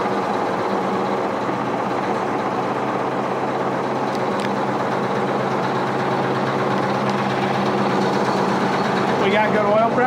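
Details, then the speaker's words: International Harvester TD20E bulldozer (13.0 L DVT800 V8 diesel, 200 HP) rescued from scrap, first start without ether, good oil pressure. Steady, even diesel rumble settling into a smooth idle with no knocks or misses; normal idle. "now we got good oil pressure unbelievable"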